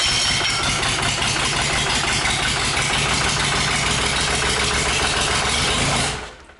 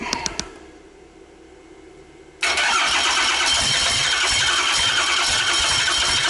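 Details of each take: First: Freshly rebuilt 5.9 Cummins 12-valve diesel on an engine stand, first start, oil pressure gauge not yet hooked up: catches and runs with an even clatter for about six seconds, no knocks heard, then shuts down; normal running after rebuild. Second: Rebuilt 5.9 Cummins 12-valve on an engine stand, first start: quiet cranking a couple of seconds while fuel bleeds through, then a sudden loud, steady clatter as it catches; long crank before first fire.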